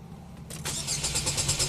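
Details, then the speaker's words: 2012 Chevy Equinox direct-injected engine, code P0615 after an aftermarket alarm was installed and removed: steady cranking that never fires and doesn't cut off after about 5 seconds. Rail 2,100 psi, battery at 14 V. Crank no-start from failed engine control module. "It's still cranking. I don't know why it's not shutting off."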